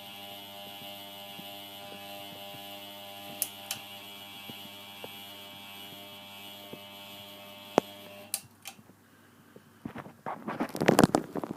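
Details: A ceiling fan gives a loud, steady electrical buzzing drone, then cuts out. Its three speeds no longer seem to work.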